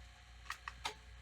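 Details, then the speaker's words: Sony SL-2710 Betamax VCR moving tape: light uneven clicks over a low mechanical hum; worn pinch roller suspected, tape creasing seen. "the pinch roller is pretty bad. You can hear that little clicking."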